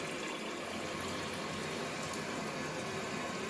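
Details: Toilet cistern refilling quickly after replacing a worn/ripped rubber diaphragm in the fill valve: steady strong even rush of water, normal refill.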